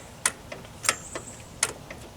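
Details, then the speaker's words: Riding lawn tractor that stalled under heavy load: the new replacement carburetor fuel shut-off solenoid, tested off the engine with key on, gives four crisp clicks about two-thirds of a second apart as the plunger pulls in; working normally. "so when I turn the key on I should see that plunger drop in let's see if it works there it goes you can see it"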